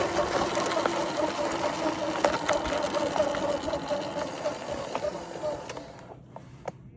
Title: 2026 Ventus 1+ weird noises! #ventus #surron #ebike